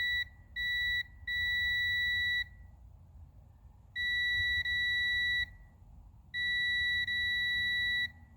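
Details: Distributor spun slowly by hand during a continuity test after refitting the points: a steady high beep comes and goes, so the points open and close cleanly; ignition switching correctly.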